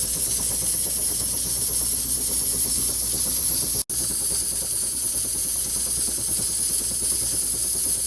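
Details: Scratch-built model stationary steam engine, oiled at pivot points, just fired up on a head of steam: steady steam hiss with faint quick even beat; running smoothly.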